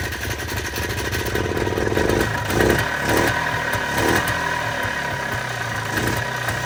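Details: 1995 Polaris Trail Boss 250, after fitting a spark plug it had gone without, choke on: small two-stroke settles into a steady, even idle with a regular beat and no misses or popping; normal idle.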